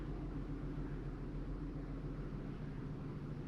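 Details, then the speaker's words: 2022 Genesis GV70 3.5 L petrol, 25,000 km, idling and raised RPM: low steady idle with a slightly uneven beat; P0301 cylinder 1 misfire, whole vehicle visibly shaking. "I can feel the misfire. I think you can see that in the camera that the whole vehicle is shaking."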